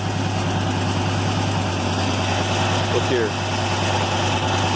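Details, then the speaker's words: Cold start on a truck with 190 thousand miles: loping, uneven idle with occasional dropped pulses under a loud exhaust, the intake tube visibly shaking; an engine miss. "And then we want to listen to how it starts. Okay, immediately you can hear the miss. You can hear the loud exhaust."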